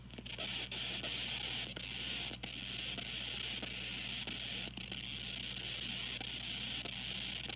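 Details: TG-TEK tablet with headphones plugged in while downloading, output amplified through a laptop surround sound system: a steady high hiss with faint ticks and crackles. It happens only with headphones while downloading or multitasking and stops when the download is cancelled, sometimes with a delay.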